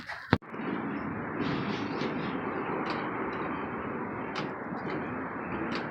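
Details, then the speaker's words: 1986 Trans Am V8 after new plugs, wires, distributor cap and rotor: low, loose idle, running smoother, with a raspy chuffing exhaust note from a massive exhaust leak. "There's massive exhaust leak, as you can hear."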